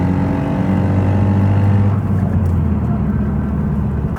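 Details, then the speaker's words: 2018 Honda Civic Si (10th gen) with bolt-on mods, pulling in third gear: the drive turns rough and rattly, then whines when the throttle comes off, from broken teeth on a blown third gear. "so as you guys can see the moment I got on to third it started making this like a rattling noise and that's obviously because of the fact that I was missing some teeth"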